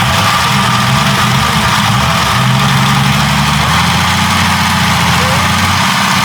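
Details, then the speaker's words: Jeep 5.0 stroker on a run stand, older clip: lumpy cammed idle with fast light pitter-patter tick on top; owner suspects pushrods too short once warm as parts expand, fix planned with longer pushrods. Valvetrain ticking. "I know the push rods get just that much too short and this thing would start just kind of pitter patter"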